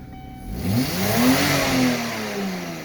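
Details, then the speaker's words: Kia at about 200,000, just after its plugged air filter was blown out and removed, revs smoothly and freely from idle and settles evenly, now with no smoke. "Oh, easy RPM. But the smoke. It's no smoke anymore."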